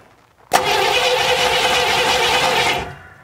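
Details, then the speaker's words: 1957 Chevy Bel Air that had sat since 1985: the starter cranks steadily for about two seconds with no firing. The distributor points are not opening and the wiring splices are poor, so there is no spark. "okay here we go okay oh they're not opening they're not opening"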